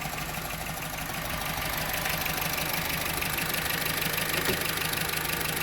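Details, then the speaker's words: Honda Civic after replacing the locked-up AC compressor that drained the battery and caused a no-start; steady idle with even hum and light ticking, compressor engaged and running smoothly without grinding or squeal. "here we go compressor's working"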